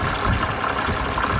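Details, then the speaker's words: 1987 Mercedes 300 SDL, OM603 six-cylinder diesel, after replacing a squealing remanufactured alternator (suspected bad bearing). Even diesel clatter at steady idle, squeal gone: normal idle. "I love the 6-cylinder engines from Benz. They're just smooth as silk. Smooth as silk."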